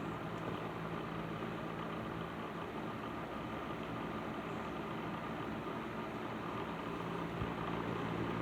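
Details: Patton 12" box fan, later model with black Fasco motor, after servicing, started on low speed; steady soft whoosh, faint hum, light rattle still present but less than before; normal running.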